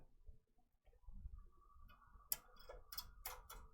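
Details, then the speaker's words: Sewing machine during daily rotary hook maintenance, trimmer cycled from software: quiet room, then light crisp clicks as the trimmer shuttles back and forth; normal trimmer cycling. "So you can hear that trimmer moving back and forth."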